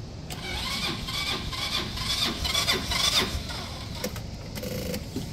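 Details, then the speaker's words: Auction go-kart engine on a jump pack, cranked with carb cleaner and some throttle: uneven cranking with rough chuffs and a stray pop, never running; spark confirmed, owner suspects the fuel system needs going through. "well it's got spark I think this thing might just need the fuel system gone through and it should run"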